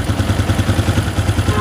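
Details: Honda CG125 after head rebuild, just started, tappets set slightly loose: smooth steady low thump about ten beats a second with light ticking, oil smoke from silencer; normal idle.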